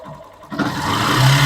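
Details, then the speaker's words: Factor 150 after repair of loud bearing-like rumbling noise low in the engine, a known chronic fault: engine starts and settles into smooth, even running, no knock or rattle; noise gone, charging about 13.3 V. "Então vamos ligar motoca e tá aí ó moto limpa sem aquele barulho padrão da forma que tem que ser"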